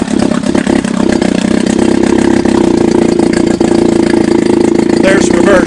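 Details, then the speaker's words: Chrysler Sailor 180 7.5 hp outboard, warmed up, in test tank, in neutral: even, steady idle with constant buzzy drone and no knocks or rattles; runs healthy. "I'm sure we're in neutral which we're not let's start it right at this right in neutral that's the idle speed"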